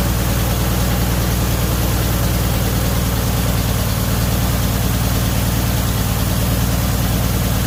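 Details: 1978 Chevy Nova after engine bay pressure wash; deep, slow, uneven loping idle; rough low idle, owner believes idle was tuned way down because of an issue with the brake booster.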